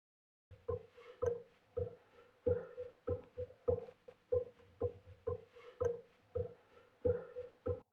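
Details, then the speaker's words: Chinese mini lathe saddle rocked by hand in a quiet room: soft, uneven clunks, under one a second, about 0.12 mm play; loose rear gib letting the saddle shift. "that clunking is actually the saddle the Gib at the back here is quite loose and it's causing quite a lot of play"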